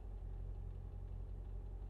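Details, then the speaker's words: 2000 Mercedes-Benz ML55 AMG V8 with gutted cats and a slew of misfire codes: low, quiet, even idle rumble with no stumbles; normal smooth idle, though the owner says it falls on its face under load. "and it really baffles me because it's idling fine right now i mean listen to how smooth this is idling"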